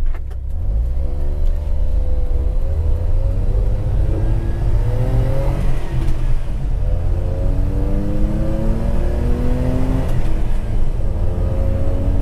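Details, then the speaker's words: 1990 Suzuki Carry 4WD kei truck with a modified exhaust using a WR250 muffler, pulling through the gears under load: a steady, smooth drone rises and falls with revs, quieter than before. The exhaust sounds fine. "let's start off real quick so you can kind of get an idea how loud it is"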